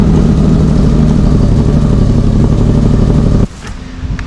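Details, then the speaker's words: Subaru SVX cold start after an updated exhaust: a fast, raised idle holds steady with a busy, hissy drone before cutting off, from a persistent vacuum leak that replacement parts haven't cured. "I just cannot seem to get rid of that vacuum leak um there's something going on in there that I'm gonna have to figure out later"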